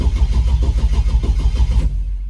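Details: Holden LX Torana 355 V8, just bought and on the trailer: even starter cranking at roughly eight compression pulses a second for two seconds, then it stops without catching; cranks but won't fire.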